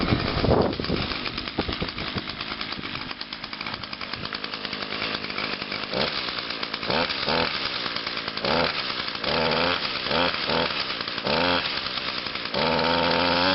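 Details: Echo two-stroke outdoor power tool, cold start on choke with primes right after a tune-up: catches, then blips up and down cleanly with quickly rising revs over wind noise; runs strong and responsive. Normal running.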